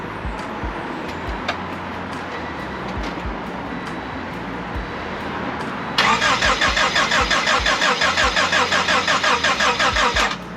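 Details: Honda Civic rebuilt engine with new timing belt, water pump and adjusted valves, first start attempt, barely any fuel: starter spins in an even quick beat, about three compressions a second for four seconds, never catching; crank no start, no spark.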